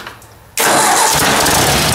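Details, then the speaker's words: Ford 800 tractor low on fuel, fired up: it starts straight up and settles into an even, steady run with no bang or knock. The bang is pretty much gone; normal idle. "it's pretty much gone there's no bang in there at all now okay well that's good"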